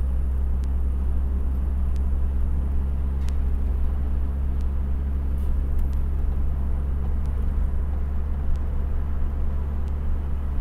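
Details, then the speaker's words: 1991 Honda Accord automatic after a vehicle/transmission speed sensor fix: steady low drive rumble with no clunks, slips or flares; it now shifts smoothly where it used to not shift, and the check engine light no longer comes on. "my engine check light used to come on the same time as the s light it's not there anymore so that means that something got worked out and it's it's doing fine and you see it just shifted it used to not shift look at how smooth this"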